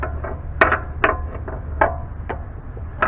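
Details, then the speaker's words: 2004-2010 BMW 5 Series E60/E61: sharp irregular clunks and knocks as the wheel is rocked, from play in a worn rear upper control arm, to be replaced; worn rear upper control arm clunk. "so today we're going to go ahead and change the upper control arm just because i could definitely hear that that clunking sound"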